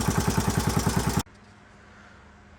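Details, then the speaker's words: 1981 Honda XL500S single after oil change, air filter install and fuel tank patch: steady, even thump at about seven or eight beats a second, no clatter or misses; clean, healthy idle. "right well she runs good i haven't had a chance to take her out on the road yet obviously but i at least know it idles and starts up pretty easily too once it's warm it started right back up with another one kick so i'm pretty happy about that"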